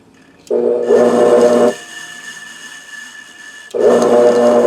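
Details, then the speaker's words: Electric motor (ran fine before), 108 V on extension cord dropping about 7 V; two short runs on a three-wire hookup with a steady hum that never reaches full speed, running slow. "that almost sounds like it's been in faster I just want to see if that still not spinning fast enough that's weird though I don't know why it needs three wires"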